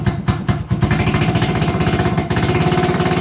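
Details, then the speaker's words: 1980 Honda XL250S single-cylinder, carburetor idle screw previously adjusted: fast, slightly ragged idle; owner suspects idle set too high is causing the weird idle, adjusting the screw to fix it. "with the idle the way it is i wonder if i've gone much too far and now it's idling too high if i'm lucky that's the cause of this weird idol"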